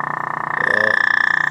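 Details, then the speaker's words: General Electric C-403A radio with a filter capacitor removed from circuit, volume turned up; rapid putt-putt pulsing about fourteen times a second under a steady whistle: motorboating from the missing filter capacitor. "now that's what you call motor boating people motor boating"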